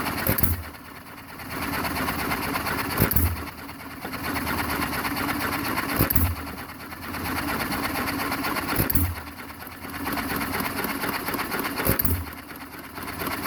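A sharp firing bang about every three seconds, then a quiet coast-down between hits, steady and even, engine running properly.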